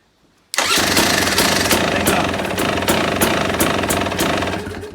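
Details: 2017 KTM EXC 300 two-stroke that would not crank after washing, now with a jump lead added from battery negative to an engine bolt: button pressed and it fires at once into a sharp crackling idle. Suspected corroded ground; starts cleanly.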